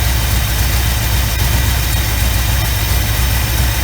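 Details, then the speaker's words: 1975 Chevy Camaro at idle during plug-wire grounding test: loping skip; grounding one wire makes no difference, identifying the dead cylinder, traced to a fouled spark plug, while the neighbouring wire creates a distinct skip. "See, that's doing nothing. That is making no difference at all right there. And I'll go back to the one next to it. And you can distinctly tell that creates a skip."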